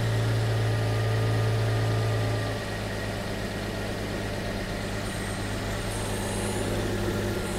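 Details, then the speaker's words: 1974 Jaguar XJ12 carbureted V12, after 6 years sitting, tuning four carbs: steady low drone at raised idle that sags slightly then holds; one carb draws too much air due to faulty throttle linkage. "still a little bit too high on this one so I'm gonna go through again maybe just check the basic adjustments on this one because something is going up with this carb causing it just to draw too much air"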